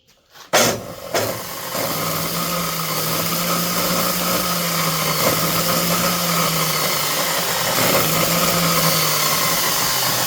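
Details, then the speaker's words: DeWalt DW871 14-inch cutoff saw, about 20 years old, bogged down and smoked cutting steel; run with the cover off: click at switch-on, slow wind-up to a steady whirr with a faint rough hiss and lots of arcing. Owner suspects brushes and a dirty armature. "There's a lot of arcing going on right there."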